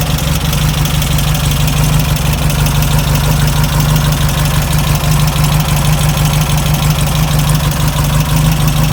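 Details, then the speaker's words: Air-cooled VW Beetle engine, run with the fan belt off: even idle with only a light, fast lifter tick and no deeper knock. The knock is traced to the fan or alternator. "I only hear lifters. Alright, let's put the fan back on, see what happens."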